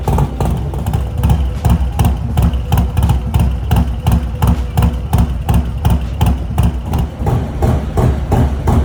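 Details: Harley-Davidson Low Rider S, Milwaukee-Eight 114 V-twin, after installing S&S 475 cam chest kit with new oil pump: deep even potato-potato beat about 170 pulses a minute with steady low rumble; healthy idle.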